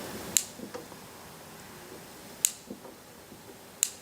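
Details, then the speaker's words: Fairbanks Morse 3HP Z Style C engine with crankshaft-triggered ignition: magnet passing the block-mounted sensor fires the plug, giving crisp, sharp snaps a couple of seconds apart as the crank is turned; plug sparking normally. "As soon as this magnet rotates up past the sensor, you can probably hear it. It fires the plug."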